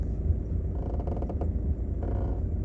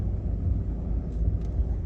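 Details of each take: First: 2014 Seat Leon 1.6 TDI at low diesel idle: rhythmic creaky squeaks about once a second from the left front when turning the steering wheel; front squeak fixed without replacing any parts. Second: 2014 Seat Leon 1.6 TDI front left strut after greasing the strut's dust foam, no parts replaced: only a low steady rumble while steering, the earlier squeak gone; steering quiet.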